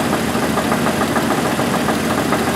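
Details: 1988 Jeep 4.0 Renix at steady idle with a regular light knock on every few firing pulses; owner suspects piston slap or a loose flex-plate bolt, unconfirmed.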